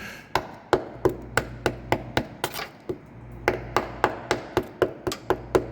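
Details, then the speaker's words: Diesel FJ Cruiser on hoist, tap test on body metal near a growing rust hole, not the frame: quick taps sound dull and dead instead of ringing, showing rust-weakened panel. "so good metal will sound like this bad metal will sound like this or"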